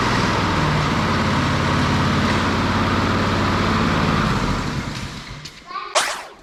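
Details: Standard push mower engine after a broken governor arm spring fix. Fast, steady drone, then shut off and winding down. The spring was moved one notch, a couple of mm, and revs run too high.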